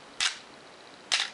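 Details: Canon AE1 Program 35mm SLR with 50mm FD f/1.8 lens: two crisp, snappy shutter clicks about a second apart, clean with no drag or hesitation; shutter firing normally.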